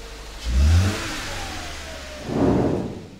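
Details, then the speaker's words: Subaru Forester after motor replacement (old engine burned oil, low compression in all cylinders), first run: two quick throttle blips, climbs and drops cleanly to idle, revs easier than before; normal free revving. "okay sounds good yeah it sounds like a rev's easier than it did before"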